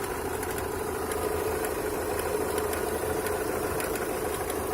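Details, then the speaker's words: Opel Astra G 1.6 at cold idle; knocking began after an oil change to 5W40. Light, uneven metallic ticking from the lower left, timing belt side. Nothing seen under the belt cover; owner suspects water pump impeller or bearing. Unconfirmed. "со стороны ремня грм такое ощущение что кусок металла или болт где-то барахты"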